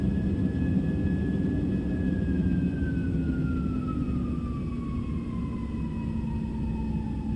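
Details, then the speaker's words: Airliner cabin during climb after takeoff: steady roar while engine whine slides down in pitch over seconds; normal thrust reduction from takeoff to climb power, not engine failure. "and then all of a sudden you hear the engines start to spool down and sounds like they're starting to stop working"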